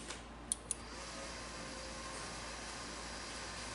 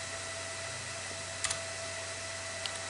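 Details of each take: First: Old desktop PC after a RAM upgrade, two sticks moved to channels 1 and 2: quiet fan hiss, then one short clean beep; it now passes POST, whereas it wouldn't with sticks in channels 1 and 3. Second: Old upgraded desktop PC booting into Windows 10 install: loud, steady airy roar with a faint whistle as the CPU fan runs near 6000 rpm.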